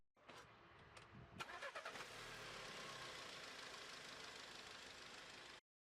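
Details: VW Golf 7 (Mk7): short crank with a few quick catches, then the engine fires and settles into a steady, even run; starts and runs normally.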